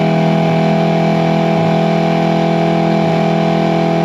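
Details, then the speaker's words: Early-90s 8 hp Mercury two-stroke outboard after rebuild, on a boat at the lake, first top-speed test: steady, even high-revving drone with constant pitch, no misses or knocks; healthy wide-open throttle, some air popping later noted at idle. "so let's see what this motor can do on the top end speeds me of our first time testing it so let's see what we can do"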